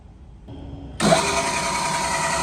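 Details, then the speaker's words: New KBC Tools milling machine at first power-up: motor spins up into a steady loud hiss with a thin high whine; head noisy. Owner suspects the belt needs belt dressing, applied afterward. "so to start off i will tell you that whenever we first powered it up the the head seemed a little noisy to me and after we finished getting everything hooked up it dawned on me that the belt probably needs some belt dressing"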